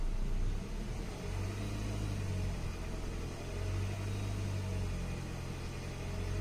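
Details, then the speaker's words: 2010 Hyundai Sonata, 140,000 miles, just after MAP sensor replacement for P0106: steady, somewhat raised idle hum, engine racing slightly. Owner suspects cheap oil caused the sensor failure and later notes valve ticking; cause of high idle unconfirmed. "you can see how the engine's kind of racing. So they probably need a good oil change, synthetic fluid."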